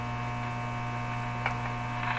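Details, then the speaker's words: 1935 Rogers Model 7R622 tube radio after replacing the last capacitors: loud, steady low buzzy hum from the speaker, unchanged by tuning; power supply suspected, source not yet found. "it's still a terrible hum in this radio listen to that"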